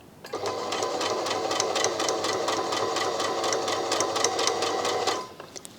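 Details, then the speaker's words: Brother My Star 3 sewing machine sewing straight stitch at stitch length about 3, about two stitches a second: an odd sharp tick on each stroke from the needle. "I can hear the needle making some interesting noises. Before I fix that, I'm going to do a little bit of reversing just so you can see where the reverse is."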